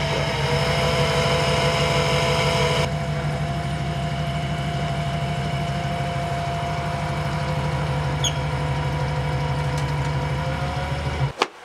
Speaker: А так работает очень неплохо. Мы проверяли давление масла на холодную, на горячую, все прекрасно. То есть никаких шумов, стуков. Реагирует хорошо и на газ.